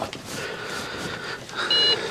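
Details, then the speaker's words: Trash-picked Dell Inspiron 660S desktop with DDR3 memory, caked CPU cooler, fan spins and cycles on power-up: two long, high, steady POST beeps over a quiet background; memory error code. "Because that sounds like a memory error. What we're going to do is we're going to switch memory locations."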